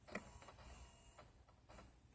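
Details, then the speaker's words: Chrysler Town and Country HVAC diagnosis with the fan off, key in accessory position: passenger blend door actuator moving to the middle gives short bursts of faint whirring with light clicks, then stops cleanly, working normally. "now remember the fan is not on but the blenders they're still working"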